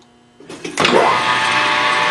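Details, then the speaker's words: Grizzly G4003 lathe after the loose motor pulley was fixed and the belts refitted, running at a slightly higher rpm: a smooth, even whir with no rattle. It is quieter than ever. The earlier rattle came from the loose pulley, not the gear train. "I like it it's quieter well that's all I ran it all this time with that belt that pulley being loose and it was rattling"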